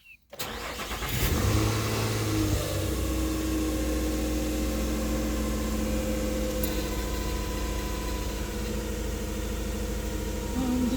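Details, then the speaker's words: 2008 Nissan Xterra after swapping coil packs, code P0301 cylinder 1 misfire: petrol engine starts into an uneven, shaking idle with the service engine light on; spark plugs next to be checked. "Oh yeah, she's shaking. And the engine service light is on as well."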